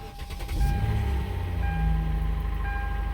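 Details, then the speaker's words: 2006-2012 Kia Sedona 3.8L Lambda V6, started after a wheel hub replacement and oil change. The engine had earlier been cranked several times with no oil. It catches and settles to a steady low idle with no knocking or rattling, a healthy start. "All right. The Kia lives lives to live another day. Hell yeah. That scared me."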